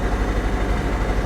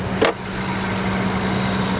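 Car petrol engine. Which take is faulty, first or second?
first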